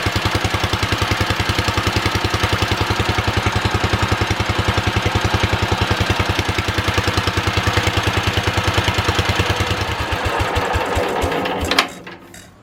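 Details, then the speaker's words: Old Wisconsin THD twin-cylinder engine, first startup on a 200 A charger after sitting: lumpy, uneven chuffing firing on only one cylinder, then shuts off; stuck exhaust valve, probably on the front cylinder, kept it dead. "It sounds like we're only running on one cylinder. I think it's the front one here. So we had a stuck exhaust valve on this cylinder."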